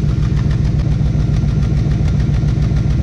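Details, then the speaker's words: LT1 Trans Am daily driver with stock cam at idle: exhaust pulses with an uneven, lumpy beat instead of a smooth burble. This is an engine misfire. "but the stock it should have been smooth not this sound so that's a misfire right there"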